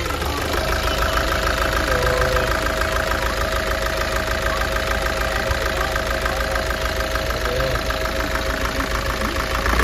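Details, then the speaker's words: Nissan Urvan Estate ZD30 diesel with no check engine light or fault codes: loose, uneven knock and shake at idle from misfire; smokes with diesel smell, vibrates on light throttle, shudders at shutoff. "Ito ang issue niya is mausok at saka nangangatal ng konti. Nagv-vibrate pag ah dahan-dahan yung apak ng accelerator."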